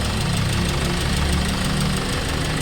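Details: Hyundai Starex D4CB diesel, replacement engine fitted for blow-by, after road test, no smoke, no oil leaks, ready for release: steady low idle with even light clatter, no misses, knocks or hunting; healthy engine.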